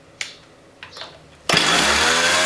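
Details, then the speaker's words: Partner 351 chainsaw after carburetor kit and new spark plug, just started with choke in: fast busy buzz with no throttle; idling high, idle screw to be wound out. "the first thing i'm going to want to do is adjust the idle speed because it's going to be idling high so i'm going to do that by winding the idle screw out until the engine speed slows"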